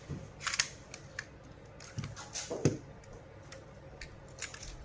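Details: Sony A7 II camera after replacing the MB charge gear that made a creaking noise: crisp, clean shutter clicks a few times over several seconds, each even and snappy with no grinding or drag; normal shutter operation.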